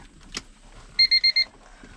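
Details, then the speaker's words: Manual Honda Accord during no-start diagnosis after clutch switch work: rapid high chime, about eight quick beeps per second in bursts of four, the normal key-left-in-ignition reminder buzzer. "Okay, turn it, take the key out so it'll stop buzzing."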